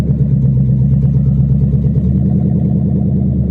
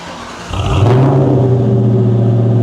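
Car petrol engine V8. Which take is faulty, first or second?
first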